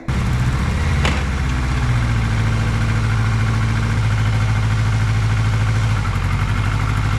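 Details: 1982 Kawasaki KZ1000 LTD sitting 35 years, warmed up: even, deep four-cylinder idle with no misses, all cylinders firing.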